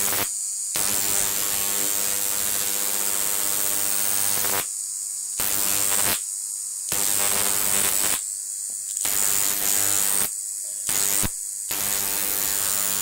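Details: Large flyback transformer on a ZVS/MOSFET driver fed 30 V from a toroid transformer: harsh sizzling arc buzz over steady mains hum with brief silent gaps; strong, steady arc.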